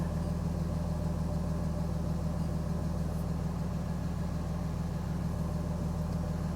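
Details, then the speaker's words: RAM with a new fan clutch, cold first start of the morning, fan not demanded: steady, even idle with a smooth low drone, no knocks or misses; healthy cold idle. "so fan is not being demanded on and it's cold right now i just started up for the morning"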